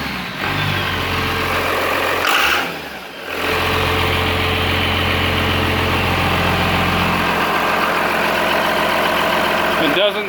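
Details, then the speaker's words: Cummins-swapped squarebody Chevy diesel truck running again on its new dual-tank fuel system with one filler neck: even, steady diesel clatter settling into smooth idle, no stumbling or hunting, fuel supply sounds fine; normal idle. "let's say that's good Bregman truck seems to be running again for like another new fuel system on"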